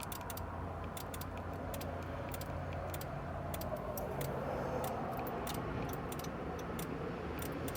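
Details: 9th-generation Honda Accord: faint, uneven, rapid clicking, roughly three to four per second, that started the same day the keyless entry stopped working, and resembles the sound the lock/unlock buttons make; cause unknown.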